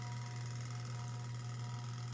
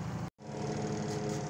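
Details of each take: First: Sharp Spin Magic 7.0 kg spin dryer after timer replacement: steady low electrical hum with no run-up as the motor stalls, attributed to a failed run capacitor. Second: Sharp Spin Magic 7.0 kg spin dryer after repair of slow-to-start spinning fault: steady even motor hum, no scraping or knocking, drawing 1.1 A under load; normal spin.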